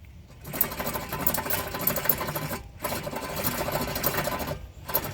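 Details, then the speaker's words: Car front push-in wheel bearing, axle removed, hub spun by hand before replacement: rough, gritty whirring grind fading as it slows; worn wheel bearing, replaced. "something tells me that's not supposed to not supposed to hear any sounds when you're spinning"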